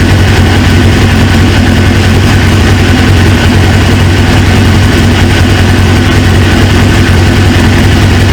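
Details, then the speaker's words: 1999 Suzuki GSX-R 750 on its first start with a replacement used engine, after a fuel-line O-ring leak was thought fixed. Deep, steady idle with no misfires; owner suspects a leaking injector O-ring (drip, smoke) and a small coolant leak. Normal idle. "I seen a drip and then it starts smoking but other than that man this thing sounds good"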